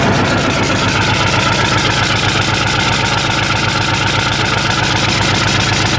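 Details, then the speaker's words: 1990 Ford F-Superduty, naturally aspirated 7.3 IDI diesel: loud idle with uneven, lumpy pulses about two per second, harsh clatter, weak sound, alongside hard starting and white smoke; rough running attributed to a failing injection pump. "foreign there you go sign number three a rough running engine so now you got everything you got the hard start the white smoke and the rough running it'll also sound weak like really weak like soy boy"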